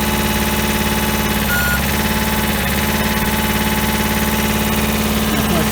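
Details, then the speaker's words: 1988 JLG 30HB manlift with replacement 2-cylinder Hatz diesel, about 972 hours, started from ground controls: starts easily and idles cleanly with a steady, even clatter around three and a half beats per second. "Yeah, I'll start it up here so you can hear it run here. And I got this turned on. I did have it set for the platform, so we'll switch it to ground. And starts right up."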